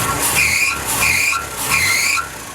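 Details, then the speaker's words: Ford F100 with 300 (4.9L) inline-six, after ignition timing correction and a Chevy-style HEI distributor; running well, but three sharp high squeals rise and fall with quick revs. Loose, slipping drive belt needing tightening. "it's running pretty good other than the belts to be tightened up"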